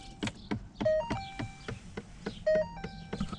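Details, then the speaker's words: 2012–2018 Ford Fiesta: faint irregular tapping about three times a second from behind the passenger-side dash when A/C is switched on or off; failing blend door actuator. "so it's kind of like a tapping noise coming from the passenger side here under the dash and that's going to have to do with you know when you turn the a air on or turn it off"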